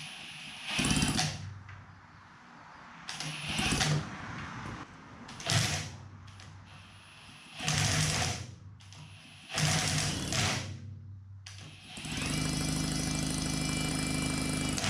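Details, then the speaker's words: 1954 Johnson Seahorse 3hp two-cylinder two-stroke outboard, long unused; five pull-cord cranks, each a short whir dying away without firing; no spark, points ignition suspected rusted under flywheel. "so we got no spark if we can't get any spark out of it then this project is going to come to a a screeching halt here"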